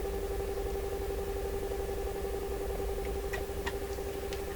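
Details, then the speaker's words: Stewart Warner R146 tube radio during IF alignment adjustment: low, fast putt-putt pulsing about four beats a second under steady hum and tone; set started motorboating, another defect, cause not yet found. "let's try that this thing started motorboating probably not good to keep it up there"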